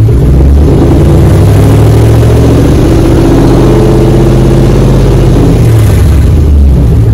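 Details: 2004 Dodge Ram 1500 Hemi 5.7 V8 after muffler and resonator delete, straight pipe fitted. Loud, deep idle rumble rises smoothly with each blip and settles back evenly; healthy engine with a loud straight-pipe exhaust.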